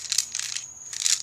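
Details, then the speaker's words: Dodge Ram 2500 Leer topper LED third brake light that didn't work after wiring: shaking the housing gives a light, tinny rattle in two bursts, the LEDs all broken off and loose inside, none connected; light needs replacing. "That's all the freaking LED lights. They all broke off of it, and they're just sitting in there. None of them are connected, looks like."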